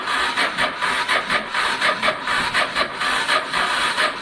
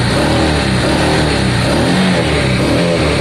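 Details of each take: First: Honda Deauville motorcycle after carb clean, choke on, fuel pump not heard priming; slow, labored cranking about eighty strokes a minute with no firing, sounds unhealthy; battery and fuel pump issues suspected, fuel reaching the carbs. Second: Honda Deauville motorcycle after carb clean, choke on, first start with fuel pump reconnected and little fuel in carbs; steady, even engine note with no misses or knocks, runs smoothly and sounds healthy.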